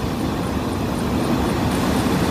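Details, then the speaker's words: 2004 Lincoln Navigator that died after leaving the freeway, found with its battery not bolted down: steady, even idle with a smooth low hum and no knocks or misses after restarting; alternator or intermittent problem still suspected. "hey let's see if it starts up well I hope so yes that sounds beautiful"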